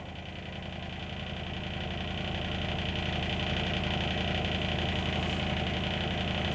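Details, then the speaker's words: Appliance unused for about two to three years: steady droning hum with a rattly pulse about three times a second, slowly growing louder; noisy drain pump not draining properly, worn pump blade suspected. "so it's probably more likely throwing out because um it's not draining properly so when that pump Blade's knackered it doesn't drain it anywhere near as fast as it would norm"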